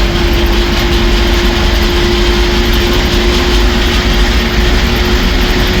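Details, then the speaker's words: 1966 Ford F350 dump truck driven home on highway: steady mid-pitched whine over engine and road drone, louder below 60 mph and calming above it; transmission noise at lower road speed, cause unknown. "Transmission makes a lot of noise again if you slow down to 60, but if you keep it above it, it seems to, the noise kind of calms down."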